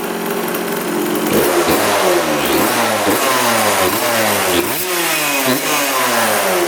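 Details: 1999 Suzuki RM80 two-stroke dirt bike after spark plug replacement: crisp pickup through repeated blips, returning cleanly without stumbling or dying, no oil burning smell; normal running, the plug thought to be the problem all along.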